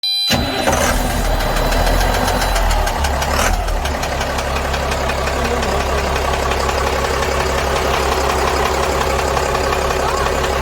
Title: CAT 3116, tapping/clunking noise, any suggestions?